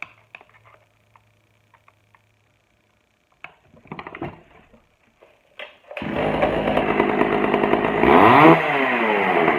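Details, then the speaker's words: Pioneer P41 chainsaw, old non-running saw, after carburetor cleaning and opening the low-speed screw; quiet clicks, then it fires into a crisp, steady buzz with clean throttle pickup and starts easily. Normal healthy running. "wow oh so there you go she's up and running i adjusted to where i like it"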